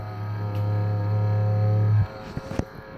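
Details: MSI GE70 2PE Apache Pro laptop (MS-1759), phone microphone resting on the computer: steady low droning growl that holds its pitch then cuts off abruptly; worn cooling fan bearing, fan replaced with PAAD06015SL.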